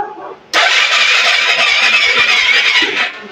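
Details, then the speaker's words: Suzuki Hayate 125 fuel-injected scooter that won't start, battery new but drained, fuel pump heard priming at key-on: high starter whir about two and a half seconds with slow faint compression pulses, no firing; weak cranking from a flat battery. "wala na wala ng laman ng battery"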